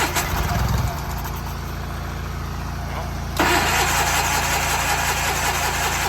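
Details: Tractor engine with a dried fuel pump diaphragm just oiled, carb top refitted, fired on starting fluid: catches and runs ragged, then struggles; runs briefly then dies, bowl full but fuel not drawn through the carb quickly enough.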